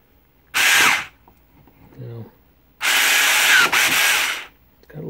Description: This transmission is a bit loud when spun at 3000 rpm, but it has great torque and it works.